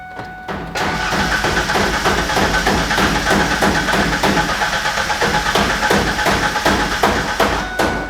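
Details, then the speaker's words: Truck parked for many years, first start attempt: steady, even cranking at about two and a half beats a second, constant pitch, never catches; engine spins freely but gets no fuel, crank no start from a failed fuel pump. "well two things you can see from that when I was cranking it over you could hear the engine it was a constant same pitch all the way through through so I don't believe we have any kind of compressio"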